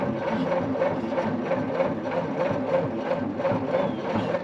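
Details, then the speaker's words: 1940 Plymouth Deluxe parked at least 65 years: steady rhythmic cranking, about three even beats a second, with compression now but never catching; fuel going in but nothing reaching the plugs, oily goulash blowing through. Cranks but won't start. "Okay, so we're pulling compression now. Fuel's going down, but nothing is making it to the plugs blowing through."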